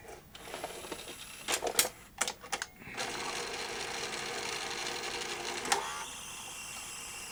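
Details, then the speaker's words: Sanyo VTC-M40 Beta HiFi video recorder with no picture or HiFi sound: thin high swish and whir from the tape loading mechanism during threading; suspected to need the loading ring guides cleaned, not confirmed. "Don't worry about that swinging noise. Sounds like it just needs the uh guides cleaning on the loading ring."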